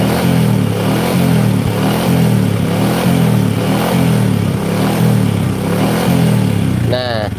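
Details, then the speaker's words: Honda Supra motorcycle lacking power, topping out at 100 km/h, single-cylinder engine blipped mid-throttle, noise also heard around 4000-5000 rpm riding: faint aluminium-on-aluminium metallic knock on each rise; mechanic attributes it to a loose, worn piston. "ada suara RR tapi suaranya aluminium kayak aluminium sama aluminium gitu loh aluminium sama logam aluminium itu kalau di adu Suaranya kayak gitu ini menggambarkan bahwa pistonnya di sini mengalami longgar"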